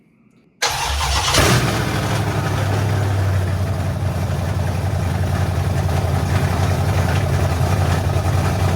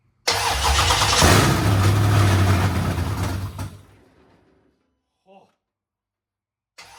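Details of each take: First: 1972 Dodge Charger Rallye with Gen 3 Hemi, fuel-injected, first start after fuel system pressurized; quick crank, clean catch, then steady, even deep idle with no knocks or misses; normal start and idle despite spilled transmission fluid. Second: 1972 Dodge Charger Rallye with a Gen 3 Hemi being fired up for the first time after rewiring: the starter cranks, the engine stumbles into a rough roar for a few seconds, then dies away. It tries to run but won't stay running. Cause suspected, not confirmed.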